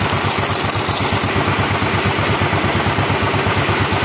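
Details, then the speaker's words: Yamaha Mio single-cylinder scooter engine, just reassembled from scratch with the original bearing kept, first start: steady, even putter at idle, about three pulses a second, no knocks or rattles; oil circulating, engine runs healthy. "kita hidupkan motornya nah guys Ini motor udah hidup"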